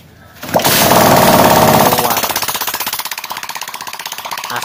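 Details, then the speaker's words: Yamaha Jupiter MX after cylinder block and piston kit replacement, fresh engine oil and radiator coolant, test-started without the exhaust to check for white smoke: loud startup, then crisp even open-pipe popping settling to idle; normal, no smoke. "Oke, di sini mesin sudah nyala dan kita nyatakan sudah normal dan tidak keluar asap lagi."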